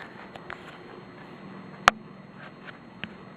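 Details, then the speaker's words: Vintage Casablanca Delta II 50-inch ceiling fan running on medium: faint hum with sparse irregular clicks, "juju chick", and one sharp tick; owner doubts bearings though slight bearing noise noted; intermittent clicking, cause unknown. "they just be able to hear but it's kind it kind of goes like juju chick I don't think its bearings"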